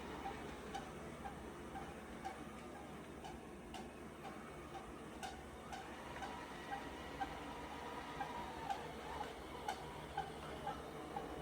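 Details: Roborock Rocky robot vacuum running, with a short, regular squeak about every half second over its motor hum.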